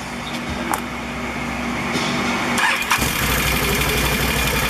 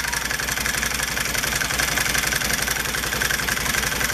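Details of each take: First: Can-Am ATV CVT clutch just after slider shoe replacement (one-way clutch rebuilt, new belt, cleaned): starter crank, then a smooth idle with no clatter; the old clutch rattle is gone. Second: when a clutch gets old it rattles like a son of a listen to it hear that clattering that's that noise that we all hate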